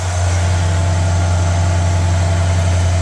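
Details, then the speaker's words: 1985 Mercury Marquis fire chief police interceptor, rebuilt 351W V8 with new cam, base timing 12°, at high idle during cam break-in: steady even rumble, only mild lope through mufflers, no knocks or ticks; slight blow-by, running normally. "But it sounds good. I mean, it doesn't sound like a huge performer right now, but it's still got mufflers."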